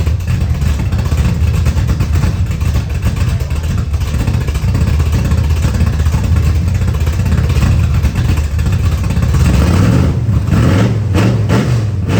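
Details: 1979 Camaro with a 355 V8 just reinstalled, restart: loud, lumpy idle that stumbles, then revs rise near the end. Timing read 20 degrees with a backfire earlier; air-fuel ratio about 22.5:1, dead lean, carburetor needs richening.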